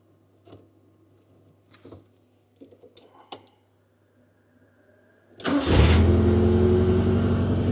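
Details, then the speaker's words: Honda Civic Nouva (SH3) during a rewiring repair of a botched loom; a blue/yellow wire was linked to idle and ignition cutting out, with a strong fuel smell earlier. A few clicks and cranking, then it catches, revs and settles into a steady idle. Normal start and idle. "Nah, sekarang dia mau langsam. Berarti ada sesuatu antara biru dan kuning ini."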